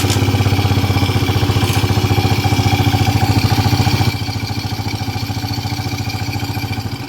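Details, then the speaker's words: Old Suzuki Smash (Shogun-type) motorcycle with a very rough engine: heavy, clear "klok-klok" knocking at low rpm over a rough idle, speeding up and slowing with rpm; possibly worn crankshaft bearings with play, not confirmed. "Anda dapat mendengar suara "klok-klok-klok-klok-klok" pada RPM rendah. Suaranya sangat jernih, bro. Dan suara ini mengikuti RPM, bro."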